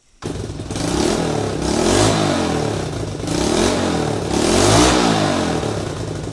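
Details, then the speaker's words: Honda CT90 fitted with a 125cc Honda ATC engine, running the stock muffler that has a few holes in it; revved up and down with a loud raspy blat and hissy edge on each rise, an exhaust leak from the holed muffler. "So this is what the bike sounds like with the stock muffler with a few holes in it."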